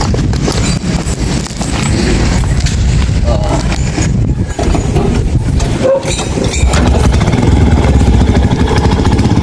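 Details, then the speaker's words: Yamaha YTX carbureted single after draining water from a flooded carburetor via drain valve: revs up and settles cleanly, pulling strongly with no stumble, popping or misfire; running normally. "Ayan mga meron na siyang hatak so Ayan mga idol Ayos na"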